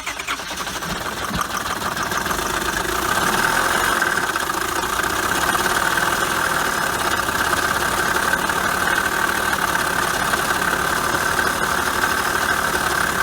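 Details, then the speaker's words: Auction-bought Honda Accord coupe at idle: continuous rattling knock; timing chain or loose tensioners suspected, possibly worse, not confirmed; may be junk or part-out. "we're thinking as you heard timing chain maybe some more that might just be a car a junk or part out sound"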